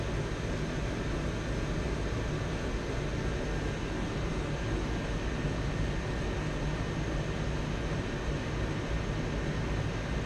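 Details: Dyna-Glo Pro 135,000 BTU forced air heater fired up after cleaning, air pump pressure spec 5.5 psi; steady, even burner roar with low rumble, no surging, sputtering or pulsing, running normally.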